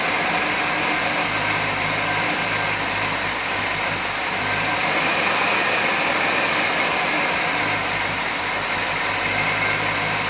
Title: 1991 GMC Jimmy Looking for the Vacuum Leak